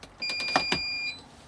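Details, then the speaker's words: Xenjum 12V rooftop air conditioner on a shuttle bus, first plugged into a power station after install: steady high beep about a second with clicks, then faint fan whir spinning up. Normal power-up. "So I heard a beep. I hear a fan spinning up."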